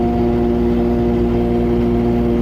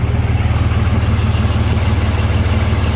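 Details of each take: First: Overland truck cruising at constant speed on the highway with an unrepaired exhaust leak; steady drone with strong low-mid buzz and raspy edge; exhaust leak. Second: Overland truck after muffler-shop repair, pipes spaced apart with shorter expansion clamps so they can't saw through each other: steady, firm idle about three pulses a second, no rattle or buzz from the pipes; normal idle.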